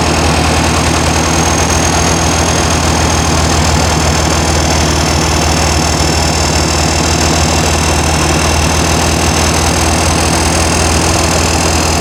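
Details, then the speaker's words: New 1600cc flat-four in a 1968 VW Karmann Ghia, first run during cam break-in after timing adjustment: even, steady buzzing run at raised revs, no misses, knocks or ticks; normal high idle. "I'm gonna dial it down just a little bit but just let her choose right now I'm breaking in the cam"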